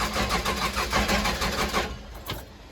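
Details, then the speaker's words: Case 580 Super L backhoe diesel cranking, not starting after being run out of fuel; starter chugs about five beats a second for two seconds without catching, "trying to kick." Crank no start from fuel starvation. "Come on, baby. Don't sound healthy as cranking, but it's trying to kick. I ain't got nothing yet."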